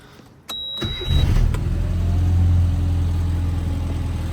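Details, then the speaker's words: 1997 Rover Mini Cooper 1.3i, fuel-injected Japan-spec, cold start: short crank of about one and a half turns, fires immediately and settles into steady even idle with smooth low hum; healthy start. "And as you can see, starts right up on the dime. I mean, what was that, like one and a half cranks, maybe? And this thing runs awesome."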